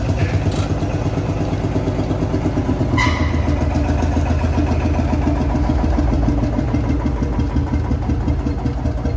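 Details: Field Marshall Series 3A single-cylinder engine on its first start after a rebore and oversize piston, fitted after a piston ring snapped, likely from bore pitting. Slow, even thump at about 167 beats a minute, steady with no knock or rattle; normal running, better than before.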